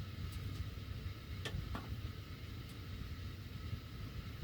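Low blower rumble with a few sharp, irregular ticks, about one a second, like ductwork ticking as the heat runs.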